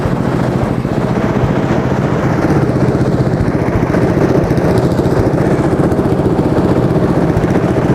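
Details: Track sled engine's test run after fitting the exhaust: small single thumps at a quick, even beat, about four firings a second; runs smoothly, a runner.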